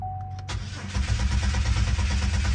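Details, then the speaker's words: 2009 Buick Lucerne towed in, cranks but won't start: chime, then steady starter churning without catching; diagnosed as a bad fuel pump relay rather than the fuel pump. "cranks but it won't start so let's see what we got here"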